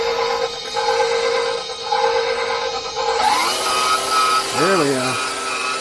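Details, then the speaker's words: KitchenAid stand mixer running for the first time after being reassembled during repair: fast, loud, even motor whir spinning up smoothly with no knocking or grinding, "sounds like an aircraft"; motor runs healthy. "Oh man, it's cooking now. Wow. Thing sounds like a aircraft or something. She's spinning pretty quick."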